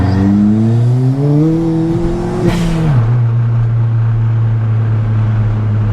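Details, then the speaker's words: Ford Fiesta ST with replacement engine after a custom linear track map, aggressive clutch and race diff: revs climb smoothly and strongly, drop cleanly at the shift, then steady drone; earlier low-RPM hesitation off-throttle is gone. "Yeah, before at low RPM I changed out a second, slowed down, and I just let off and it just hesitate a little bit. Not anymore."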